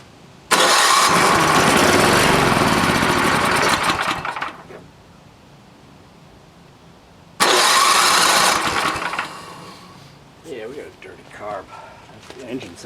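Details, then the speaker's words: NOMA 8 hp snowblower with carbon-fouled piston, run on fuel poured into the spark plug hole: fires and roars about three seconds, dies, repeats; carburetor needle jet found plugged. "see if we can get gas to come out of the uh the needle jet hole so that's pretty plugged"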